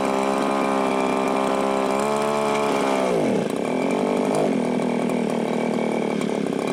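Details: Viper ice auger two-stroke, start on choke: revs high, then sags and drops unevenly into a wavering idle; unstable fuelling, seems not to pull fuel from tank, needs carb kit (gasket flaps suspected).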